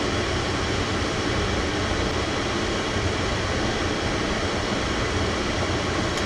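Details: Oil-fired furnace burner at -15°F, restarted after low fuel let air into the line: steady even roar, no pulsing or dropouts, while air is still being bled from the fuel line; flame may drop and trip offline.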